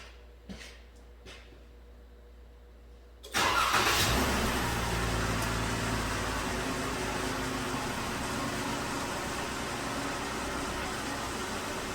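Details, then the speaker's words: 2013 Ram 1500 crew cab 4x4, 3.6 L V6, check engine light on: cranks and catches, then idles with a faint uneven stumble; scan tool counts misfires on cylinder 5, suspected failing cam follower or lobe. "misfiring on cylinder number five 17 21 23 25"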